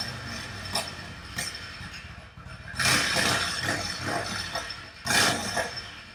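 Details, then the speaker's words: Yamaha V Star 1100 bobber with the pilot mixture screws opened about a turn and a half: uneven running with sharp, irregular pops as the rear cylinder still misfires and pops. "noticed at this point then it was just the real cylinder that was popping still"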